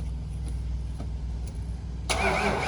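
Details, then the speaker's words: 1996 Ford F-250 460 big block, rat-damaged: starter turns engine over evenly but it never catches, only a rough burst at the end; cranks, no start, suspected not getting fuel or spark, unconfirmed. "all right i'm gonna try to spray some while you do that it sounds like it's not getting to it"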